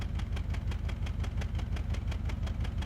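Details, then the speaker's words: Ford driveability training example of an engine missing: idle with a steady regular stumble about three beats a second, one cylinder consistently failing to fire each cycle; misfire. "Let's compare the sound of an engine missing with the sound of an engine running rough so you can hear the difference. This is engine missing."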